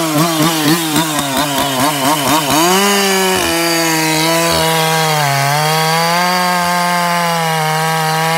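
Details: Ported 154 chainsaw at high revs pulsing in pitch about four times a second before holding steady; flutter caused by a chafed bare kill wire grounding out.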